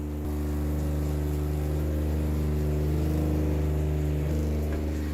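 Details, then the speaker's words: 12V RV diaphragm water pump running with the faucet tap open: a steady, loud, low droning buzz at an even pitch. Normal but noisy operation, and it shuts off as it should. "This is why I didn't want to use that pump, because of how loud it is. But at this point, I just don't care."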